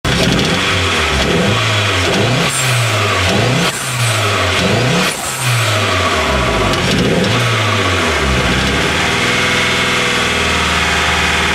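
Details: Nova turbo: revs rise and fall several times over a rough, uneven idle, exhaust note stumbling through it; a misfire.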